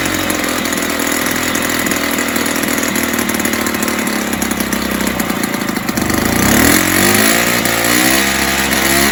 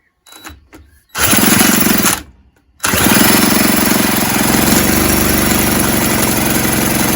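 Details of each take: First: 1970s Puch Maxi E50 50cc two-stroke moped engine bench-started with parts missing, carb leaking slightly: raspy buzzy idle wandering and surging before picking up; stays rough, owner thinks carb needs cleaning and tune. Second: 1970s Puch Maxi E50 50cc two-stroke moped engine on the bench, spun by a drill after carb spray: fast, even rattle about four turns a second, never catching; no-start, cranking without firing.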